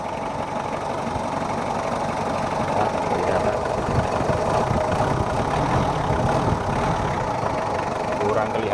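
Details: Mitsubishi Kuda diesel, still cold at 68 degrees, after service and injector nozzle replacement: steady, even idle clatter with no misses or heavy knocks; engine sounds healthy and settled.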